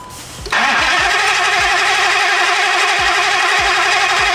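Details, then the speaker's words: Hellcat Redeye-swapped Dodge Viper, fresh dry engine: starter runs on by itself with key on and won't shut off, voltage sagging to 9-something; steady four-second grind with even low thumps about every half second, no firing. "Did it stop itself? No. I put it on the on position and it was cranking by itself. Well, let's see if it starts."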